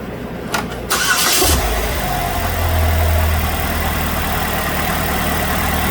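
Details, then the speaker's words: 2006 Chevrolet Malibu 2.2 Ecotec four-cylinder after temporarily fitting a used ignition control module in place of the failed one: cranks, catches quickly, settles to steady even idle, now running on all four cylinders. Normal idle after repair. "definitely running on four cylinders now"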